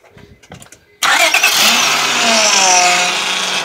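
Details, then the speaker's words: Honda Odyssey van engine cranks and catches, then a steady wavering whine from the power steering pump rides over the idle, from air in the system after the return hose was removed from the reservoir; it needs bleeding. "basically you could probably hear how the power steering was whining it's because I removed the return hose out of the reservoir"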